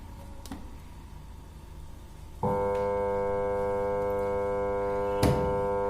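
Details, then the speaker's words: Samsung top-load washing machine set to spin with door switch bypassed: steady low electrical hum starting suddenly, drum not turning, only drain motor on; motor stalled by a failed capacitor. "Friends, ನೀವು ನೋಡ್ಬೋದು, ಇದು ಒಂಥರ sound ಬರ್ತಿದೆ ಗುಯ್ ಅಂತ."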